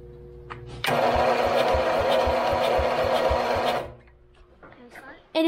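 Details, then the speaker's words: Forgotten lawn mower, two-stroke fuel, battery charger connected: steady starter cranking about four beats a second for three seconds, never catches; no spark, ignition coil later found bad and replaced. "after messing with some stuff we didn't have spark and we determined that our ignition coil is bad"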